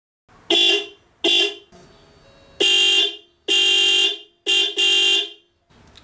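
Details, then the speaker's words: 1991 Volkswagen Vanagon with a dual-tone Mercedes 123 horn replacing the factory single-tone, just after adding a horn relay; six sharp, bright two-note blasts, short and long presses, loud and clean; owner unsure if it's louder or different. "I'm actually not even sure if the horns any louder or if it sounds any different but we put the camera on the tripod and I will beat the horn for you you"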